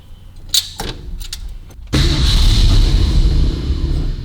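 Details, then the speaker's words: Carbureted engine with an automatic choke and no thermostat fitted: after clicks, it bursts into a rough, struggling run. It is flooded from pumping the throttle and being run to clear its throat. "Just flooded now where I've been pumping the throttle up. Just give it a bit of clear it throat."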